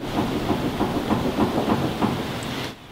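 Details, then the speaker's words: 1967 Mustang Fastback raised with no weight on the wheels, front wheel rocked left to right during a ball joint check: quick loose clunks and rattling, about three a second; only slight looseness found, play suspected but not confirmed. "just move the wheel back and forth left to right and you kind of hear everything you can kind of hear some rattling"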